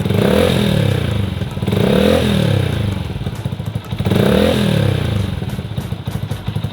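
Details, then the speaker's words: Yamaha R15 V2 motorcycle after an oil change to Motul 5100 Ester, revved in blips: smooth even rise and fall, no knocking or rattling; the owner hears a clear difference, a smoother engine, so normal revving. "Oke , dari apa yang saya dengar, jelas ada perbedaannya, teman-teman. Jelas ada perbedaannya."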